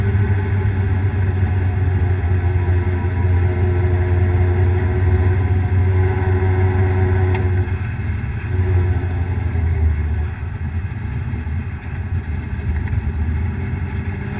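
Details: Vehicle while driving: deep steady rumble with a droning hum; owner suspects a bad bearing, not confirmed.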